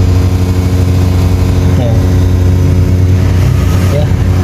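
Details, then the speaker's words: Desktop computer CPU cooling fan gives a loud, steady, annoying drone; owner suspects the fan is not pressed in properly, with removal planned as the fix. "sih CPU ini ada suara yang cukup mengganggu mendengung ya dan sangat keras nah terdengar Yah ada suara yang mendengung yang diakibatkan karena the kipas ya"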